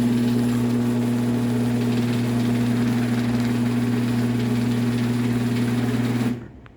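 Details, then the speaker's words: Genie Pro screw drive garage door opener on a mini door running up; even motor hum with a steady low buzz, which is the safety sensors mounted to angle iron vibrating; the opener itself runs well and fairly quietly. "so yeah it's VI it's more so on the way down that the case vibrates that was mostly the s sensor vibrating on the way up that you heard but you can hear it is it does sound pretty decent"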